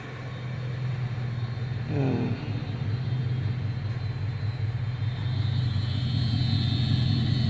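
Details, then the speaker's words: 2008 Chevrolet Silverado V8 with 203,000 miles, intermittent cylinder 6 misfire after new plugs and wires, idling warm after running a while: steady, even idle with no miss, faint fuel pump hum; runs smooth. "so let's see here get this thing fired up and for right now there is no no miss island nice and smooth"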